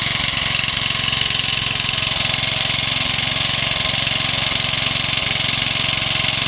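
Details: Home-built single-cylinder Suffolk/Briggs hybrid engine on skids, first-ever run after carburettor cleaning: steady thump about three a second under a loud constant hiss; big end knock noted, head gasket suspected leaking, not confirmed; hissing compression leak.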